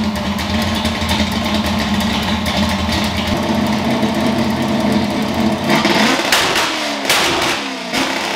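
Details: Ford F100 V8 after tune fix (plugs had run dark) and new spark plugs: loud lumpy idle steady about five seconds, then sharp crisp throttle blips; runs rowdy, tune significantly better.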